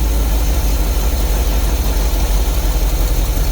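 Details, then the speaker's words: Willys with newly made manual choke: deep, steady idle with a firm low pulse, held high when the choke is pushed in further; fast idle from choke setting. "Push it in a little more. You hear how it's running up?"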